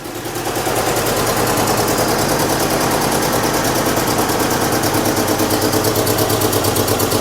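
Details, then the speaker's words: 1998 Chevy Tracker/Suzuki engine with varnished fuel, plug wires out of firing order: harsh, choppy, stumbling running with heavy clatter, a misfire from the wrong firing order. "doesn't look like it's running good that didn't sound good either"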